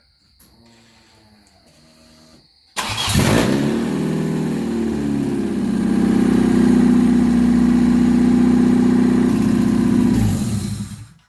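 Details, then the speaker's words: Swapped engine restarted after the crank position sensor was replaced with the one from the old motor, following a crank with no RPM signal: a brief crank, then it fires at once and settles to a steady, even idle. Normal start and idle. "Whoop! That fired right the fuck up. That cranked quick."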